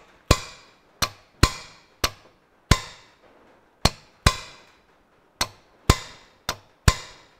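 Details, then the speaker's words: John Deere 1640 MFWD front-wheel-assist clutch-pack solenoid valve, removed and bench-powered from an 18-volt Makita battery pack across the two opposite terminals (tractor had been stuck in 4WD); sharp single clonks each time power applied, valve seen moving: solenoid valve shifting normally. "you can just see that move and we can actually hear it moving so we know that that's working"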